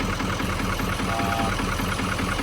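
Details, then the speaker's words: Wrecked L5P Duramax diesel with bent frame, first start: deep, uneven idle with dull knocking running through it; knock suspected, possibly related to no boost or belt; cause not confirmed. "I don't believe It sounds like a knock to me. It sounds like it's knocked."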